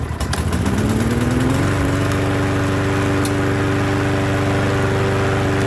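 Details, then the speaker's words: Troy-Bilt mower with no primer, full fuel tank and oil level checked starts on the first pull and settles into a smooth, steady, quiet drone. The reported fault is that it won't restart once shut off. Normal running. "starts on the first pull you can hear it's nice and quiet"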